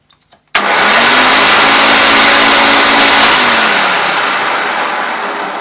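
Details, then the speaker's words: Late-1980s Hoover Turbolite U4527 upright vacuum, first switch-on after unboxing, brush roll due for replacement: clean switch-on, then a steady high whine settling smoothly with even airflow rush and no rattles or grinding; motor sounds healthy. "Well, that sounds okay. The motor sounds okay."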